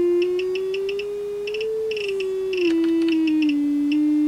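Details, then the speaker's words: Samsung UA40D6000 40-inch smart TV, with both speakers blown, being swept with test tones: a steady tone near 300 Hz wavers, with faint quick buzzy ticks; both speaker cones rattle around 300 Hz. "so both speakers are definitely ratting around 300 Hertz Mark"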